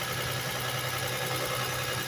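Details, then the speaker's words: 1999 Toyota Sienna, over 200,000 miles, about two minutes after warm-up following valve shim work for a misfire: idle with fast light ticking over the hum from some valves with clearance on the high side; expected to lessen as it warms. "so as you can hear there's a little bit of uh clicking going on but as warm up you will see it go away"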